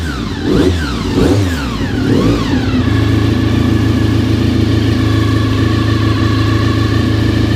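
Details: Honda RC45 RVF750 V4 after spark plug replacement (old plugs very bad; injectors tested fine): a few crisp blips rising and falling cleanly, then a steady, even idle; running healthy.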